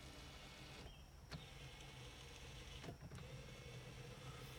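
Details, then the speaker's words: 2001 Toyota Camry 4-cylinder, 129,021 miles, non-running car with engine apart, power mirrors tested from inside: short smooth whirring motor runs starting and stopping cleanly at even pitch, no grinding or clicking; mirrors work normally. "So looks like all those work just fine."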